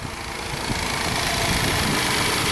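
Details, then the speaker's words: 2016 Hyundai Santa Fe V6 GDI, 125,000 miles, P0018, camshaft over 60° retarded (timing chain suspected jumped): hissy, uneven idle with a ragged stumbling pulse and a flashing check engine light. It misfires with the cam solenoid ground wire removed. "Well, it's missing, but that's yeah. So if I take that off right now, let's see what happens. There, I took that ground wire off."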